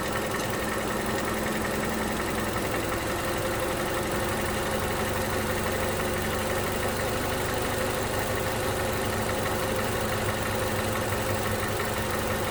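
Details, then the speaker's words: 2011 Toyota Camry, 2AR-FE engine, idling just after lifter and rocker arm replacement (about 4 bad lifters) for a stalling issue: a faint fast ticking over the engine hum, like light valvetrain tick; cause not pinned down. "However, I do hear, I don't know how we can hear it, but I do hear like a slight ticking. I do hear a slight ticking."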